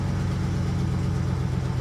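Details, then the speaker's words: Ford F-350 ambulance, 5.4 Triton V8, about 240,000 miles, jump-started: deep idle with a lumpy beat and a cylinder dropping out now and then. Suspected misfire that gradually smooths out. "oh she sounds good sounds like a misfire though aside from the misfire sounds good"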